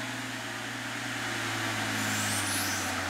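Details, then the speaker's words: Mercedes CL65 AMG with ABC hydraulic suspension, engine running, rear sitting low, laptop disconnected: steady low hum with even, faintly pulsing whir, no knocks or grinding; normal hydraulic pressure build-up. "i heard the hydraulic pressure there that's normal"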